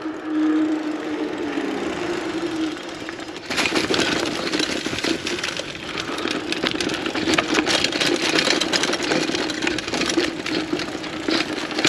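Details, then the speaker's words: Trek Marlin 5 mountain bike (front suspension, 7-speed) on rough trail: sharp metallic clacks and rattles on every bump as the chain slaps the frame; a neoprene chain slap guard is suggested to stop it and protect the frame. "in poses the chain banging on the frame so I suggest you put a neoprene chain knocker to also avoid damaging the frame with the chain banging"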